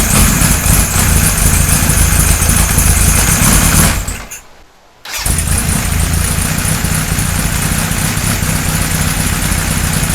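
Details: 1978 Kawasaki Z1-R four-cylinder, first start after an engine rebuild with oil pumping confirmed at the main gallery: catches and idles with a steady, slightly lumpy beat and a short dip midway, then settles; runs fine.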